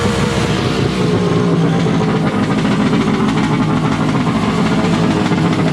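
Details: Wave Blaster jet ski after a 701-to-1100 engine swap, running after a rubber O-ring was removed to increase cooling water flow for a warm silicone pipe. Loud, raspy, steady two-stroke roar at constant high revs with no misses or knocks. Normal running.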